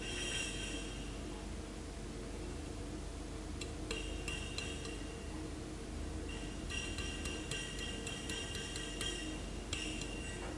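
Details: New, never-used Zojirushi SM-KB36-TM 0.36 L thermos mug shaken empty: loose, irregular metallic clinks and ticks like a free part rattling inside; owner unsure whether this is normal.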